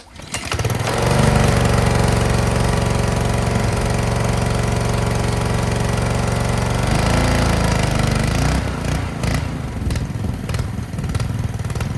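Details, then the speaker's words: Ryobi 3300 PSI pressure washer, Honda GCV190 engine, after old-gas fix, hooked to water and spraying: runs steady then sags and dies as RPM rises; unloader valve set too high, pump building too much pressure bogs engine. "if the pump is not making the right pressure uh say it's building too much pressure it's going to do exactly what I was just seeing there it would run but as soon as you kind of RPM up and with it spraying it just kills it"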